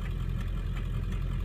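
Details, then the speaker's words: 2001 Ford F250 diesel, manual, driving on worn off-road tires under light load: even low diesel drone, no knocking or grinding; described as mechanically sound. Normal diesel running. "Anyway, this is a really nice running truck. I mean, there's nothing going on here mechanically at all."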